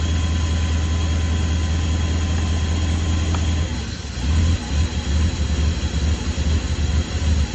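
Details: BMW E32 at idle; uneven lumpy idle with slow irregular shake about once a second, no steady rhythm, rough idle and shimmy, cause unknown.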